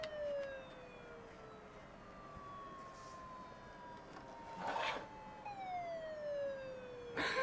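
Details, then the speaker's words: IBM ThinkPad 760 laptop at power-on: a clear tone sweeps down and back up like a siren over a quiet background; the hard drive is suspected as the source, and it sounds bad. "That hard drive, I think that's the hard drive sound. That sounds bad. What the heck was that?"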